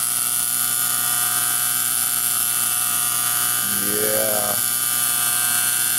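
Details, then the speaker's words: 1912-1913 F. Bissell Company suction cleaner, 1/3 HP, 110 V AC/DC motor rated 4,000/7,000 rpm, first startup running on low speed; steady high-pitched hum with airy hiss leveling out, no knocks or grinding, normal motor running. "it's leveling out here this is great oh this is great 4,000 or 7,000 RPM listen to it I'm pump that's on low yeah"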